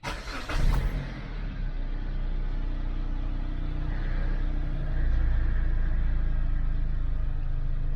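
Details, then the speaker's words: 2012 Dodge Avenger, 119,000 miles, previously in limp mode, held under 2,000 rpm with idling problems; throttle body troubleshooting, codes cleared: quick crank, catches at once and settles into a steady, even low rumble with no misses. Normal start and idle. "seems to be doing okay so I'm going to close the hood take it up and down the road see if I can get it back down of here"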